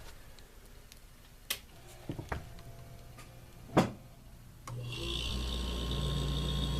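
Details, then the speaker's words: Maytag refrigerator that was not cooling and buzzing/clicking, after fitting new start relays: a few faint clicks, then the compressor fires up and holds a steady, even low hum; normal compressor running. "I don't know if you can hear that on the camera or not, but now the compressor's humming and it has fired up."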